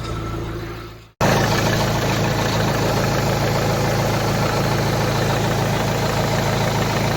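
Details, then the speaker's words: Volvo V40 after repair of abnormal noise from the auxiliary belt vibration damper pulley, restarted to confirm: engine fires and settles into smooth steady idle with no rattle over the hum; earlier noise gone. "ശ്രദ്ധിച്ചാൽ മതി, നമ്മൾ നേരത്തെ കേട്ടാ ആ നോയ്സൊന്നും ഇപ്പോൾ വെഹിക്കിളൊക്കെ ഉണ്ടാവില്ല."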